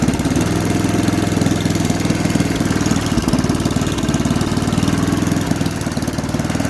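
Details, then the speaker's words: Cheap used snowblower small single-cylinder engine, said not to have run for a couple of years, on poor oil and full choke; a governor issue was suspected. It settles to a quick, even putter with no misses or knocks. Normal running. "a fairly healthy sound and engine"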